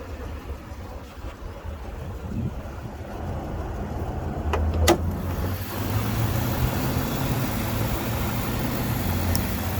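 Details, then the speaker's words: 2008 Cadillac with dealer-replaced engine (2–3 years ago), idling: quiet, even rumble at steady pace, no knocks or weird vibration; healthy idle. "So sounds healthy, there's no weird vibration."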